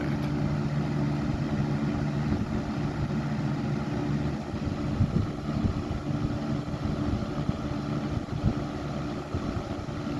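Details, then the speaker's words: 1995 Lakewood model 200/I fan with its motor cleaned and oiled: an even, steady rush of air with a smooth, unchanging low tone and no rattles or scraping; it runs well. "It runs very well though. I did clean this up. I mean, it wasn't that dirty. And I oiled the motor, cleaned out the motor and everything."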